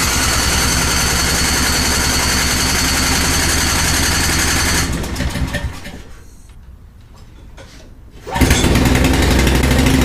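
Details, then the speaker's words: Brother's snow blower just after a tune-up and oil change, unused for a while, on a 51–56°F January day. A small single-cylinder engine pops along at an even beat, briefly drops off, then picks back up. Normal running. "I got it running that's the important part"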